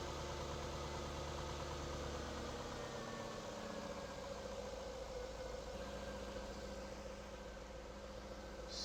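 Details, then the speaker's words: Jaguar X100/X308 V8 (XK8/XKR/XJ8) after instrumount (airbox rubber damper) replacement: settles from slightly higher start into low even idle, no knocks or rattles; "sweet as a nut", runs smoothly. "Sweet as a nut."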